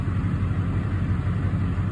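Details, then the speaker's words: 2006-07 Duramax LBZ diesel in a Chevrolet truck, just started cold at about 70°F with fresh oil, 340 miles on it: programmed high idle at about 700 rpm versus about 400-500 normally. Steady low clatter with no misses or knocks; healthy. "so this is the high idle turned on from the truck programming as you can see I just started the truck"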